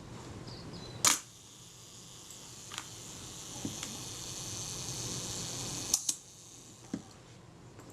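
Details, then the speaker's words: Kodak Retina Reflex type 025 camera being serviced for a faulty shutter release: self-timer buzzes quietly about five seconds, then a crisp shutter click at a slow speed (around 1/8 s); shutter works properly. "that sounded credible to me i can make my adjustments from the front so that's all good"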